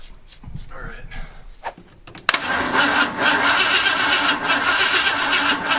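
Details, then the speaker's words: Barn-find Ford F-250 that sat 10+ years, with points ignition, first start attempt on gasoline poured into the carb: fumbling, then a sharp pop and a rough, uneven catch. Flames blow back up the intake when the throttle opens; the cause is unclear. "i don't know why it was blowing flames up the intake when i opening throttle blades"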